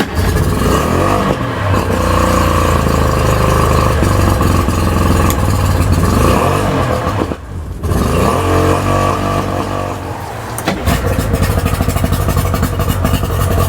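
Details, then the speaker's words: Three-cylinder Tohatsu 4-stroke outboard after repair: revs up and drops back smoothly with no stumbling or missing beats, idling well. Normal running on all three cylinders. "the engine runs really good it idles really good all three cylinders are working how they're supposed to be doing"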